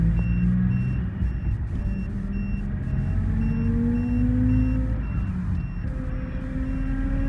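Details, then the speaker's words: Mahindra Bolero diesel on road test after injector replacement and injector coding for vibration/knocking complaint: smooth pull, engine note rising through gears, steady chime, no knock or shake; customer says problem fixed, normal running. "Customer का कहना है की गाड़ी की जो problem थी वह ठीक हो चुकी है हमने इसके इंजेक्टर चेंज किए द उसके बाद इंजेक्टर कोडिंग की थी अब गाड़ी फर्स्ट क्लास हो गई है"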